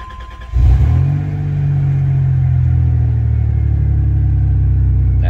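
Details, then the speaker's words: 1990 Dodge Grand Caravan LE, cold start around 35°F the day after first getting it running: catches cleanly into a smooth, even idle; earlier sticky-lifter ticking gone, likely freed by the heat cycle, no valvetrain noise. "lifter noise is gone sticky lifter then I bet you the heat cycle freed it up yeah yeah that sounds good there's no noise"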